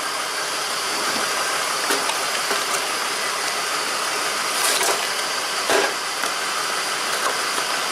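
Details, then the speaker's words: 2004 BMW X5 3.0 L with a misfire, after an injector was unplugged during testing: rough idle with uneven stumbles under a steady hiss; still misfiring on cylinder 2 because the ECU has shut that injector down. "I think it's now the computer is actually shutting down this injector. I need to shut the car off because it's still misfiring now on cylinder number 2 because it's shutting down the injector."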